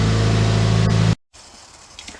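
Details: 2017 Subaru WRX after a Nostrum high-pressure fuel pump install for straight E85: short, smooth, steady low hum at idle with no misses or surging; fuel pressure around 2100, idling fine.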